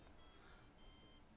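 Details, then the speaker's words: Zynect Thermote/Soilmote sensor with LoRaWAN gateway, restarting after firmware update: faint short tune of a few high beeps in a quiet room, normal restart chime. "okay the update has completed it's restarting you heard the noise again things that little tune"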